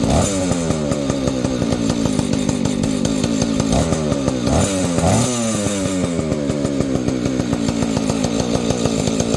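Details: Vintage Husqvarna 285 chainsaw being rebuilt with replacement cases and cylinder: even two-stroke idle with a few sharp throttle blips that rise and fall cleanly. Owner says it later stalls after idling, suspects ignition.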